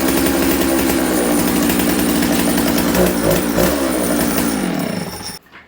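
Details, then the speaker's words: Dolmar 153 chainsaw with Tillotson carburettor and faulty Bosch ignition: high, fast two-stroke idle running lean suddenly goes rich when carburettor touched, bogs and dies; air leak at worn, loose throttle shaft. "It got super rich there. Why? I'll show you guys why. This is a common problem with Tillotson carburetors."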